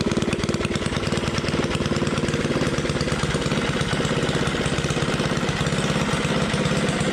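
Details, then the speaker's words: Coleman 98cc 3hp Rascal lite minibike, first start after fitting performance cam, 22 lb valve springs, ARC billet flywheel and setting valve lash: fast, steady, even single-cylinder bark, no misfires, rattles or hunting; sounds good, normal running. "So it sounds pretty good."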